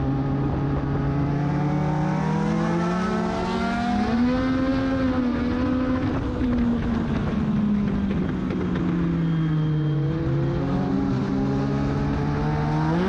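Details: Race car at Charlotte during practice, after a full-day setup at a race shop: engine pitch climbs and sags through the corners, revs flaring without matching pull in the correct gear; clutch slip suspected, later the main reason the race wasn't finished.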